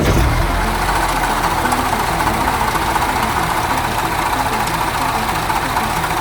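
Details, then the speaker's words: Mini Cooper on a 2,300-mile road trip, new noise at idle: a rough clocking tick three to four times a second from the belt area, suspected to be the serpentine belt or its pulley; not confirmed. "Do you hear that like clocking sound? I don't think it was doing that when I left California or Vegas."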